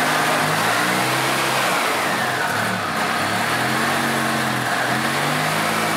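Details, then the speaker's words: 2006 EZGO TXT gas golf cart, formerly a crank no-start from water in the fuel, after the repair work: in neutral, the single-cylinder engine revs up and drops back cleanly with steady firing and no misses or knocks; it runs properly. "[Applause] [Music] seems to be running pretty good now"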